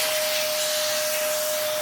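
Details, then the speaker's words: Dyson vacuum tested for airflow with its original filter refitted: steady loud rushing hiss with a constant thin whistle, vacuum audibly struggling; low suction from an air leak through a hole in the hose. "So that will prove that, yeah, if it's really bad to the point that you can physically hear the vacuum struggling, it's dead, Jim. There is a flipping hole in this hose."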